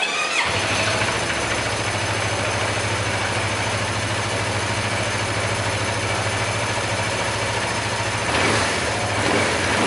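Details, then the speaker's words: Motorcycle started after an engine teardown in which the tensioner was adjusted and the balancer gear was replaced: it fires at once and holds a smooth even idle with only airy intake noise; the earlier rattle is gone. "Setelah motor dinyalakan dan ya bunyinya hilang."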